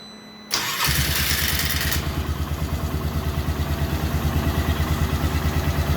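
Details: 1998 Polaris Sportsman after CDI replacement and kill-switch ground wiring fix: quick crank and catch, then steady idle with an even beat of about three pulses a second and no misses; starts and runs cleanly.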